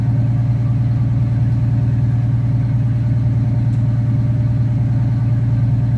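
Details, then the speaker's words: Detroit 6-71 two-stroke diesel in an injector cut-out test, hot, at steady low idle with an even pulsing beat and no knock; the exhaust smoke went away when number one injector was cut out, marking it as the bad injector. "all right cut out number one smoke went away and that's how you tell for a bad injector"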